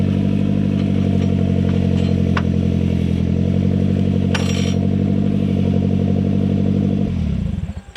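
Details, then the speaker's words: 18-year-old 2005 Toyota Camry with exhaust missing: loud, raw, blatting low rumble for about seven seconds, then dies away at shutdown; unsilenced engine. "I'm going to start it and you'll hear the lack of exhaust and I'll show you just how loud the broken spring on the left front is"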